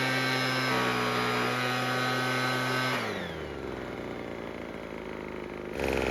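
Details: Craftsman two-stroke leaf blower after repair for a no-start. Steady high-pitched buzz that drops smoothly to idle and picks back up. It runs cleanly and evenly, which is normal.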